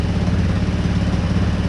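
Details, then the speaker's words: New GY6 150cc engine in a quad at first start, idling: small single-cylinder with quick, slightly puffy chuff each firing; owner suspects a tiny exhaust leak. "j'ai peut-être un tout petit nom j'ai une fuite mais voilà comme je taisais c'est juste en boîte"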